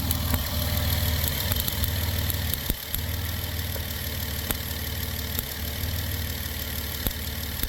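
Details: 2008 Dodge Grand Caravan at idle with code P0301: the idle stumbles with irregular sharp snaps and dips about every second. Spark is seen arcing and glowing at cylinder one. Engine misfire at idle.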